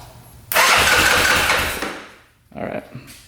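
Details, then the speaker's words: 2005 Yamaha Grizzly 660 ATV with its relays tested good, solenoid terminals jumped (one terminal looks melted): the starter spins the engine briskly for about a second and a half. The starter solenoid is faulty. "So, that's turning over the engine. So, it's definitely the solenoid that's the problem."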